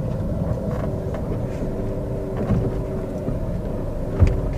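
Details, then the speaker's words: 2014 Chevrolet Spin LTZ, manual, petrol, test-driven on rough road: road rumble with dull suspension thumps on the right side and also the left; steering tracks straight. Suspension needs repair at two points. "Ini saya lepas tangan nah saya akan coba bagian kirinya bagian kiri juga ada suara jadi mobil ini ada perbaikan kaki dua titik"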